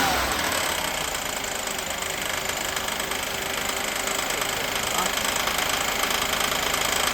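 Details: 1988 Mercedes 560 SEC (W126) V8 idling under a busy top-end clatter with a fast, uneven knock near 200 per minute; knock, cause not yet found.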